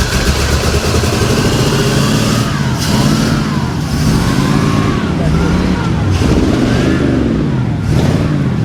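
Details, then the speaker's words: 1965 Oldsmobile Cutlass project car, heard from outside: uneven stumbling exhaust beat lurching as revs rise and fall, engine missing really bad. "Sounds good. It sounds like shit. It's missing really bad."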